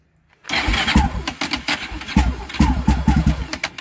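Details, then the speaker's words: Raptor 660 now 686 with a stock OEM starter, cranking with the fuel off: brisk, even fast cranking with quick compression thumps, not catching; the healthy starter speed it should have. "this is the way it's supposed to sound when it rotates see that starts right up okay supposed to start that fast"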